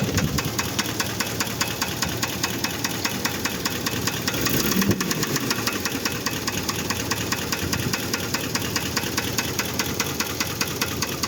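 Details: Idling engine with a steady, hard knock tapping out a quick regular beat: rod bearing knock from bearing wear after irregular oil changes.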